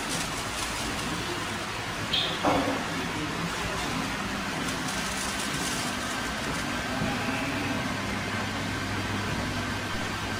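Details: Hatari HB-T16M2 stand fan: steady low hum with no knocking while oscillating; the knock had returned a month after a genuine oscillation gear was fitted, and now runs quietly after repair.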